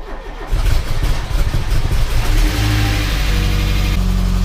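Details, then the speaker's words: VW Polo G40 during reassembly, first start attempt on unleaded. Brief cranking, then the engine catches quickly and settles into a steady, even idle; normal engine start. "foi elle a plutôt bien démarré [Musique] ça pousse ça"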